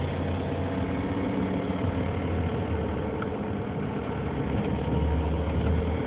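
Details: 2003 Nissan Murano idling with an uneven low rumble and slight irregular pulse; owner reports a strange engine sound, cause unclear.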